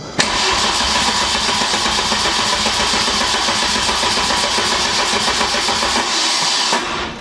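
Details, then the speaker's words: Mk2 Golf GTI during 1.8 turbo swap, first start with converted loom and parts unplugged, on jump pack with battery near dead (about 2 volts): loud labouring crank, uneven pulses, never catches; weak cranking, owner suspects starter motor needed. "Oh, that didn't sound too healthy. Okay, I think we need a new starter motor, [snorts] but it tried to do something there."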